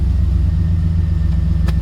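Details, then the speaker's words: 2003 Chevrolet Silverado 2500HD pickup that cranked but would not start, now fixed after wiring connections were made and taped; engine catches and settles into a smooth, even low rumble with no misses or knocks, running normally; fuel gauge working again. "we are good to go y Mt Max is back fixed"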